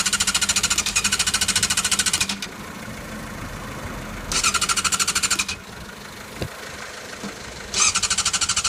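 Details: Yamaha YZF600R: repeated bursts of fast, sharp rattling cranking, each about two seconds, and the engine never catches. Crank, no start.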